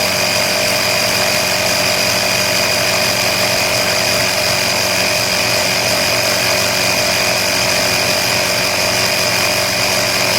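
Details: Air Hawk Pro tire inflator set to 24 on a tire at 16.5, fitted with quick-release extension hose; loud steady buzzing drone with fixed high whine, no surging or knocking, running normally.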